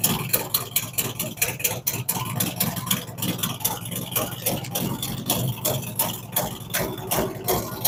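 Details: Freshly started V-twin just after a cam and big-bore kit install, Thundermax tune adjusting each cylinder: lumpy, loping idle with an uneven thump that shifts as it settles; normal for a fresh startup, it evens out.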